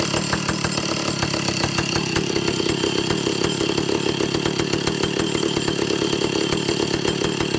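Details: Vintage Stihl chainsaw, second test run after air leaks fixed, initial carb settings high 3/4–1 turn, low 7/8–1 turn, idle target 1,800 RPM, top no more than 10,000. Steady buzzy drone that never climbs to full-rev scream; owner suspects carburetor third circuit.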